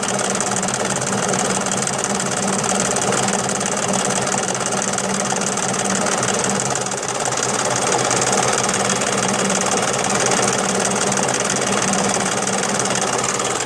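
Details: Daihatsu Charade: steady engine run with a light uneven knock at a few beats per second over it; knocking noise, cause unclear.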